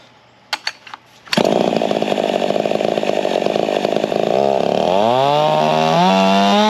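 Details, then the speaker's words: Modified Husqvarna 55 racer chainsaw after fixing chafed coil wire, welding lower piston ring and plugging decomp: crisp start, steady high two-stroke scream climbing smoothly under load; healthy, about 6.2 hp averaged with torque gained throughout. "Alright, that sounded pretty good, felt pretty good. We averaged just about 6.2 horse and we gained torque all the way from top to bottom."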